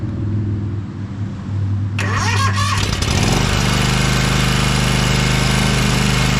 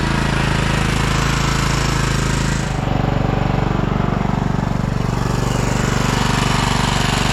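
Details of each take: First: 2012 Toro Timecutter SS 5000 zero-turn twin after fixing the rockers and setting the valves to about 6 thou: it catches after a short crank and runs a steady, even beat on both cylinders, smoking from the long-idle side; normal running. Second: 2012 Toro TimeCutter SS5000 zero-turn (model 74630), V-twin. Lumpy, loping thump about four a second instead of an even twin beat; it runs on one cylinder. The fault is later fixed by repairing the rockers and adjusting the valves.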